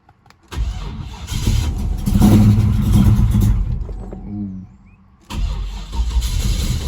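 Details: Holden LX Torana with 355 V8, rescued after sitting, first start on the trailer with fuel poured down the carburettor: uneven chugging crank, briefly catches and revs, then dies before cranking again; not getting enough fuel; cranks and nearly starts.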